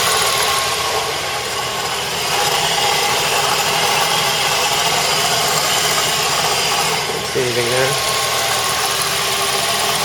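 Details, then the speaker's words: Mazda 3 idling: a light, uneven rattle under a steady hiss; doors and glove box were ruled out, and the owner suspects the accessory belt, unconfirmed. "car is off can hear the noise already I would consider it a rattling sound doors are closed glove box nothing leaking or under the glove box [Music] sounds like it may be coming from that belt"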